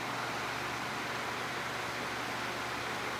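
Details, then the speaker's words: Vintage 12-inch Windmere oscillating fan after freeing and oiling the motor, running on medium and high: even, steady whoosh of air with no ticking, rubbing or wobble; normal fan running. "oh yeah that runs a lot better now without spin down time that's the way that it should be"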